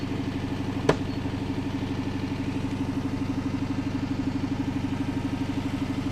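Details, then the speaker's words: 2006 Dodge Charger RT pursuit (retired police car), 5.7L HEMI V8, rear-wheel drive: even idle with a rolling, drum-like exhaust bumble about two beats a second that comes and goes; rough idle, owner suspects a sticking lifter. "The exhaust note sounds like some kind of drum roll. It does. I feel like it's getting a little better though. I don't know. Maybe not. It might be a sticking lifter."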